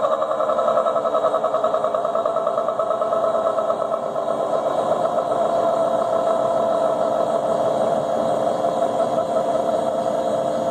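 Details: Leybold Turbovac 150CSV turbomolecular pump, acquired in unknown condition and lost some oil, high steady whine settling in pitch with a rough buzzing edge; bad bearings.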